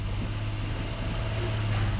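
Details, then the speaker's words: Jeep Grand Cherokee, about 2012, V6, in gear on the brake and revved to load the engine: low uneven drone stumbling from a misfire with flashing check engine light; P0300 random misfire, possible cat converter codes. "I got my feet on the brake I'm in gear let me rev up on it ooh there's a Mis frire"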